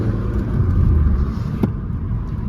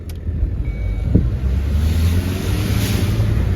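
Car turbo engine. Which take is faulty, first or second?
second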